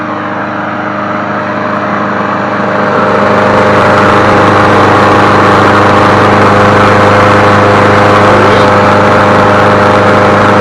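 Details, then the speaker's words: Craftsman 22-inch push mower 917.385320, a single-cylinder engine, running after being revived: a steady, even hum with no misses or surging. Normal running. "And the cord's not shaking either. That's a good sign. Man, she sounds good."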